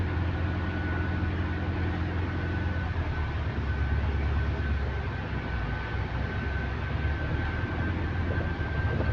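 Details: GAL EH179 electric bus on route 321, after a weird noise was fixed, heard while moving: a steady thin traction motor whine over road rumble with no rattles or grinding, healthy.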